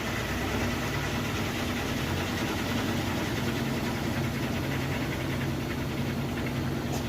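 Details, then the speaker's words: GE top-load washer on its final spin with a heavy load of jeans and towels; steady, even hum and smooth low rumble with no shaking, thumping or banging; normal spin cycle. "that's running really well there's no shaking my hem might be a little shaky but there's the machine isn't that shaking at all sounds good very smooth excellent"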